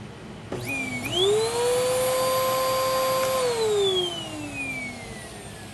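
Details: Old-style Bissell Power Force Helix upright vacuum, 10 amp model 12B1, made 2012, prong bent: motor spins up to a steady high whine, holds even pitch, winds down smoothly with no grinding or rattle; healthy.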